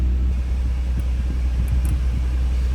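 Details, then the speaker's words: Audi TT 3.2 at first start after an alternator replacement, not fully reassembled, with charging still to be checked. Deep, steady rumble with an even beat and no knock, tick or whine. Normal idle. "Oh, it's running, that's a good start."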